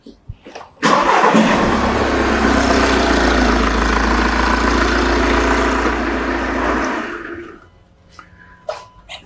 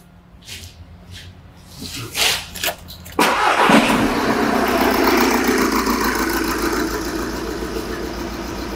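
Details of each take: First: Engine start and idle recorded with a pressure transducer in the tailpipe for an exhaust pulsation test. A short crank and quick catch give even, steady firing with uniform pulsations: no misfires or combustion anomalies. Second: Diesel with number four injector and EGR disconnected to induce a misfire during pressure transducer testing: uneven, lumpy idle with a steady stumble each cycle from one dead cylinder.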